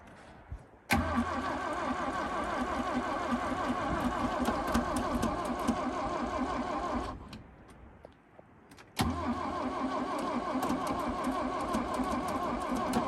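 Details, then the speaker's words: 1965 Toyota Corona, long-abandoned, cranking with a steady starter churn of about four beats a second, pause, more cranking, never catching; loose hose clamp on fuel line causing a leak so it can't pull fuel, fuel filter full. "it looks like this hose clamp came loose which would explain it not pulling fuel it's really hard to pull fuel when there's a leak"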